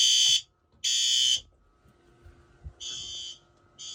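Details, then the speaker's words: Monthly night-time fire alarm system test, fixed-temperature heat detector triggered, sounder set to low volume: loud high-pitched alarm tone in repeating half-second on-off bursts, strobes active; alarm activated as intended. "I just got my notification my text message at the fireline system went off"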